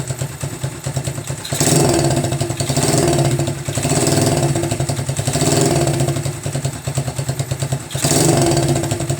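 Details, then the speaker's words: Single-cylinder motorcycle in neutral after rear shock squeak fixed, after choke start: revs rise and fall gently, even running, no squeak or clatter; runs fine. "So there you go, YouTubers. No more squeaking, and engine's running pretty much fine."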